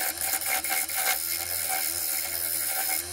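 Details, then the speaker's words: Turning a glued-up economy bowl made of very dry oak and mahogany strips on a lathe. Rapid rhythmic knocks under a harsh cutting hiss as the tool knocks off high spots on the out-of-balance outer top ring. "as you can probably hear it's this outer top ring that's the most out of balance which is why I'm trying to get it back into shape now and it'll uh even everything up so the noise might sound a bit bad but it's just knocking off the top edges"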